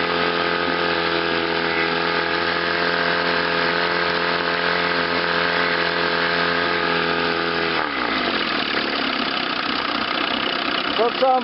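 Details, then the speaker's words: Chrysler outboard on a test wheel in forward gear after ignition misfire repair, new water pump, rebuilt carburetor and new fuel pump: steady, even idle with no misses, then winds down and shuts off; normal running, misfire gone. "good I think now it's ready for a lake test"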